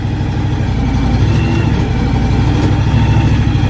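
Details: John Deere X724 with a 54-inch snow blower attached: steady, even low rumble with no knocks, misses or rattles; normal idle.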